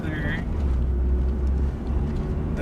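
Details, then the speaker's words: Acura RSX on a test drive after replacing the axle and intermediate shaft: a low, even drivetrain rumble moving off, and the earlier clicking is gone. Normal CV axle operation. "noise is gone for good for now all right well the test drive went pretty good no more noise"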